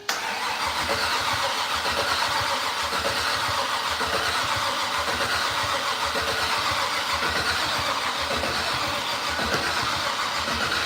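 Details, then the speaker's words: "Fatsun" unrun for 47 months, first start attempt with fuel pump running: steady starter cranking for the whole clip, engine never fires; cranks fine, next step pulling a plug to check spark. "I think I think the next thing we need to do is make sure we're getting spark by pull we just pull one plug all we got to do is pull one plug out"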